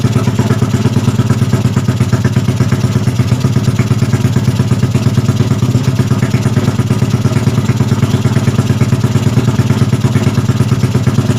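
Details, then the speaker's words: Yamaha Jupiter Z bored up to 120cc with a 53.5 mm piston, first start right after the engine rebuild, still cold: the single cylinder ticks over at a steady, even idle with a quick regular beat and no knocks or rattles; sounds healthy. "OK, so for life it's more or less like that, friends. So I'll turn it on like this first because when it's already evening, tomorrow morning I'll heat it up first, then we'll test the drive."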